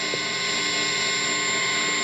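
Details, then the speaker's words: Small used practice amp turned all the way up with no playing: steady loud hiss with a fixed high whistle and faint hum, mostly noise from the pedals. "And a lot of that is my pedals, sadly. You know, they should be quieter, but they're not."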